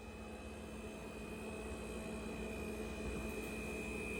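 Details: Ca'Lefort 15-inch dual-zone wine cooler refrigerator after install: constant steady buzz with high whine over low hum, no cycling, far louder than other household appliances; loud buzzing while running, cause unknown.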